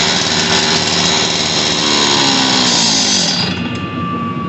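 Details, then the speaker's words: Stihl TS400 two-stroke concrete saw after carburetor kit replacement and new spark plug, bad old plug having caused it to die: steady high-pitched scream holding revs evenly, easing off slightly; no misfire, running cleanly. "i was running too good well shut off and took it off"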